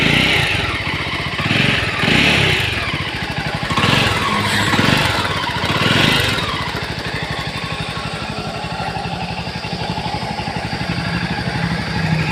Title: engine sound in jawa 42 such a bad sound ,#jawa42bs6 #jawa #automobile